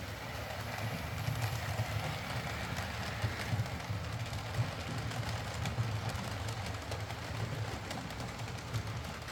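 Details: Used Hornby R2959 Thompson L1 2-6-4T running around the layout after greasing the worm gear: steady light motor hum with regular rail clicks and no grinding. The earlier forward grinding came from the double gear lifting against the worm gear.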